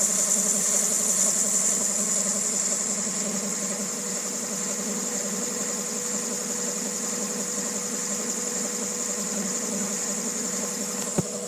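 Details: 2000 Honda Civic EX with rebuilt D16Y8 engine: rough, noisy idle with steady whirring and uneven ticking; owner suspects cam pulley, timing tensioner or a bearing; mechanical timing appears dead on.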